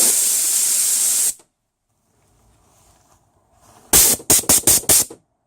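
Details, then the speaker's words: 2004 Isuzu Rodeo 3.5L V6 A340-series automatic transmission shift solenoid, removed and bench-tested with air during service for intermittent top-gear engagement: strong hiss cuts off cleanly when powered, no leak-through; solenoid seals normally. "it's normally open and then when we put power to it it'll close it off and when it's closed off that's when it should not be leaking so I'll just do that here"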